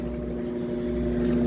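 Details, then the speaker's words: Washing machine after a technician's visit, where he replaced the leaking hose; it had earlier stopped spinning for unknown reasons. It now spins with a steady, even motor hum building gently, with no banging or scraping; normal spin. "Ó, tá centrifugando. Tá vendo? Tá ouvindo o barulhinho? Tá centrifugando."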